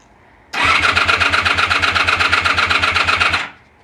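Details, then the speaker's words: Honda VF1000F motorcycle after a new starter clutch, correct pickup coil alignment, new plug leads and iridium plugs: strong, even cranking at about four compression beats a second, with oil pressure present, but the engine never fires; crank, no start. "Gee, it's never sounded as good before, but hasn't fired yet. Got oil pressure."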